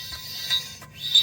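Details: Front left wheel of a Corvette: high, thin metallic scraping that swells and fades in bursts as the wheel turns and gets very loud at speed; a small chip of hickory nut hull is trapped between the dust shield and the brake rotor.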